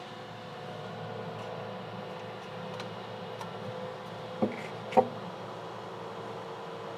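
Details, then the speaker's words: Red Bull mini fridge after replacing its inside (8038) and outside (1238) fans: soft, even fan hum with no rattle or buzz, only handling clicks; new fans draw air and run much quieter, normal operation. "yep i can feel them sucking in air and it's a lot quieter so let's go oh this is great i like it"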